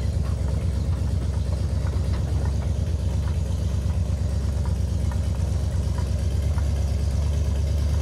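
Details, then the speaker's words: 1958 Chevy Apache truck, barn find after about 20 years sitting, heard from outside at the dual exhaust; low even rumble with a steady beat, no misses or rattles; healthy idle. "first time I've heard the DU exhaust uh from outside sounds pretty decent actually"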